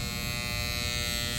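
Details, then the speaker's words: 2012 Carrier three-ton heat pump outdoor unit not cooling; harsh constant raspy buzz, tech suspects contactor and possibly bad capacitor (455 tested), cause unconfirmed; condenser buzzing. "I mean that thing is just buzzing"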